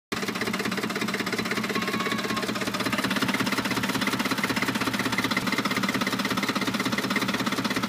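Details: 2007 Ford F-150 idling with a sharp, rapid, fairly even knock about three per second; code P0345 set, owner suspects the VCT solenoid, not confirmed.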